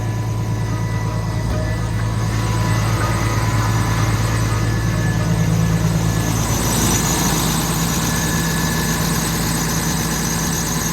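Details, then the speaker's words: Diesel machine after service with fuel filters changed and fuel system bled: starts straight away into a deep steady diesel idle rumble, slight tone change, no knocking; running healthy. "Oh, right, she's away. Hey, we did a good job of bleeding the fuel, didn't we? Right, I'll let that run."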